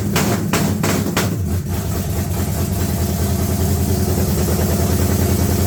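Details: S-10 with freshly swapped engine, no radiator or alternator yet, loud uneven lumpy idle with a ragged low beat and a few sharp cracks early; still needs tuning, ignition timing not set because the timing light isn't working.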